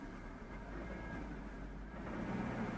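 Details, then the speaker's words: 2004 Chevy Tahoe with P0300 random multiple-cylinder misfire, during a brake torque test in drive: engine rumble roughens with an uneven stumble; arcing ignition is suspected, with spark plug boot movement seen. "I don't even know if you can see that, but we got misfire right there. Can you hear it? Okay, we still got misfire."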